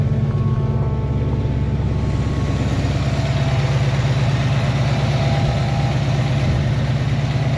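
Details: Foxbody Ford Mustang at warm idle with fans on, coolant dropping from 199 to about 186°F, oil pressure 47–48 psi, good fuel pressure; deep, steady, even burble with no knocks or misses, healthy.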